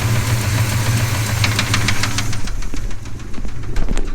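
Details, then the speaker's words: 396 cubic inch big block after the carburettor secondaries finally opened. Heavy, rapid knocking over a rough low rumble before the engine dies: the owner fears he caused a rod knock. "today sucked and it sounds like i may have just caused a rod knock in this"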